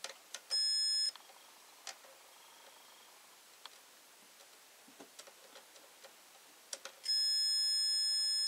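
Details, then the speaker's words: Old-style 10 A blade fuse with exposed top terminals, checked with a multimeter on continuity mode by touching both legs: quiet room, then short high steady beeps. Continuity confirmed, fuse intact. "Ở đây, tôi chạm vào hai chân và các vòng đồng hồ vạn năng. Vì vậy, cầu chì này là tốt."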